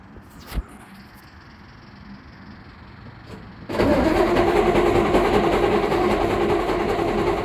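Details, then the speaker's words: OT64 SKOT R2M diesel armored vehicle cranking at start-up with a steady churning starter, about three beats a second, catching unevenly but not firing; fuel pump not run long enough beforehand, diesel smell present; slow start, cause not confirmed. "ah you can hear she wants to go you smell good it's like probably you could see it let's give that one more go"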